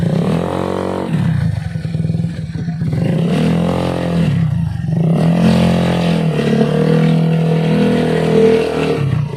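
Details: Carbureted Honda Beat scooter CVT after repair of a grinding/rattling noise on initial throttle opening: revs rise and fall with a clean drone, no rattle or scrape from the belt drive; noise gone.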